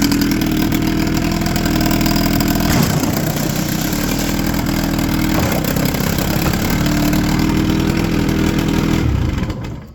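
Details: 1996 Johnson 25 hp two-stroke outboard, in for a no-start, after one timing adjustment: strong, even drone holding steady for ten seconds before shutdown with no misses or stumbles; running cleanly.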